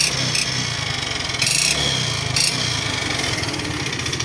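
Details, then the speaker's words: Yamaha Fino fuel-injected scooter, run low on oil then refilled: uneven revving with hard metallic piston knock and white smoke; scored piston and cylinder, engine needs rebuild. "อาการเสียงแบบนี้ก็เกิดจากลูกสูบที่บาตนะครับผมก็ต้องทำเครื่องใหม่นะ"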